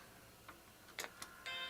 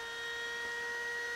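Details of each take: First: Apple Macintosh II after logic board trace repair, booting from an external SCSI drive, possibly without an FPU: soft clicks, then a clean, sustained startup chime. Normal chime, though a bad F-line instruction error follows. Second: Macintosh II power supply during restoration, first power-on: harsh loud fan whine with steady high tones and hiss; fan sounds very noisy, power supply only partly working and needs work.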